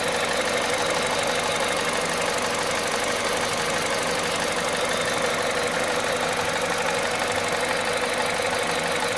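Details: Cold-start idle of a VTI 120 engine at 98,500 km: steady, fast metallic rattle from the top end over an even run; noisy when cold, cause not yet pinned down.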